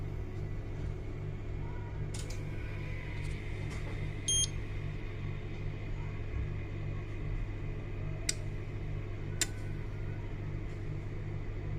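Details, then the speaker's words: Daikin York air conditioner controller board 08A01_MR1 fed 10 V DC for a bench test: over a faint hum, one short beep on power-up, then a sharp relay click, showing the board works and only the transformer is faulty. Normal power-up. "if really in good condition we can listen that uh we have sound the beep uh this port will produce the beep sound and then uh one click of the relay it means the whole system is uh working as normal."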